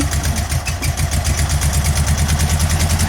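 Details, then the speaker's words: Air-cooled VW engine idling on only two cylinders, both on one side; lumpy, heavily pulsing idle with deep uneven thump, car shaking, unburned fuel smell; clutch possibly misadjusted. "car's shaking because both cylinders on one side are running."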